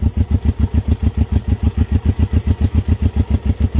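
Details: Honda CB350 twin, first start in 13 years, brown fuel found at plugs: slow lumpy chuff about 3.5 pulses a second with gaps, idling on only one cylinder.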